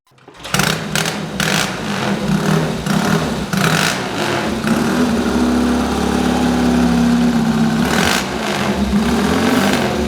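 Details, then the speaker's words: Replica of Bud Ekins' 1963 Triumph TT desert racer, full engine rebuild, new Amal 389 monoblock carbs, kick-started after tickling carbs: starts at once, strong even twin beat revving cleanly, no knocks or misses; healthy engine. "It sounds beautiful. I mean, what you've got to imagine is this bike in 1963 racing across the desert."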